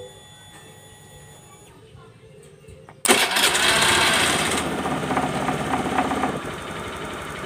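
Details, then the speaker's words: Honda Beat FI scooter with rough starter clicking, starter motor tested good: quiet, then starter catches and engine fires straight into even idle; normal start. "Oke ya, motor ini hidup, Guys, ya."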